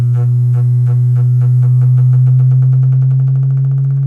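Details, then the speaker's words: Miller & Kreisel MX-105 MkII subwoofer plate amp, test tone raised from about 58 toward 120 Hz; steady tone with a rapid regular buzzing flutter about four a second; distortion from failed main filter capacitors, fixed by full recap. "you can hear it start to distort as i raised the frequency"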